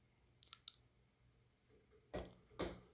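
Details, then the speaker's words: Canarm P-36 36-inch Spinner ceiling fan from July 1991, on a long downrod, running on medium: low motor hum with bearing noise and light clicks, then heavy knocks about twice a second as the wobbling fan's ball socket bumps the canopy. "does wobble a lot on medium you can actually hear the uh the ball socket bumping on the lower part of the canopy and it starts to hum a bit louder on medium"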